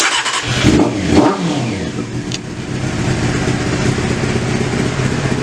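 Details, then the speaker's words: Honda CBR600 after carb work and a fuel-leak fix, not run since March, with some choke: it catches, blips twice, then settles into a low, slightly uneven idle. The idle screw may need adjusting; rough idle. "again i gotta i think i gotta play with the idol a little maybe just let her let her break in again dry motor hasn't run in a long time but not bad definitely not bad at all"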